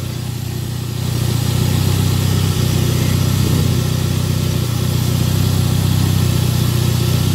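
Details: Toyota Caldina ST215 3S-GTE with Link Storm ECU, earth faults fixed, first start after two years parked: steady, even idle with smooth low rumble, no misses, knocks or surges; normal idle.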